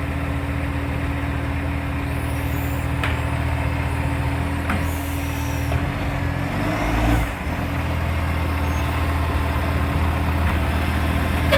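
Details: NAWMA FOGO 3520 diesel truck: a loud idle with an uneven puffing beat of roughly 150 a minute, plus air-brake hisses, suggesting a large exhaust leak.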